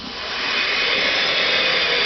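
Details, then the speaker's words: Rebuilt NetGain WarP 9 EV motor being run in to seat new brushes, Soliton1 controller idle current set to 100 with a 50 A motor-current limit; smooth rising airy whir with no clicks or grinding, settling into a steady spin. "and immediately we can hear the motor spinning up in the background"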